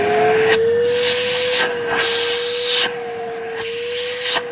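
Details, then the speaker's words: 1980s Hitachi 790 bagless cylinder vacuum, fully refurbished and reassembled, first switch-on: strong steady high hum with airy rush, no rattles or surging; motor very powerful. "wow [Applause] that is really powerful"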